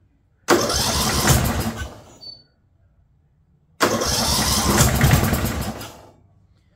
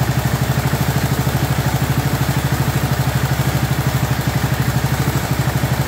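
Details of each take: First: Abandoned 2004 Murray lawn tractor, Briggs 12.5 HP overhead-valve single, unknown history: two short cranking bursts that never fire; starter and battery good, but owner believes the piston hit and battered the spark plug electrode, so no start. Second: 2004 Murray 12.5 HP lawn tractor, warm, after sticky choke linkage that caused flooding was cleaned and carburetor adjusted. Steady, even single-cylinder putter at a smooth idle, no stumbling or hunting; running properly.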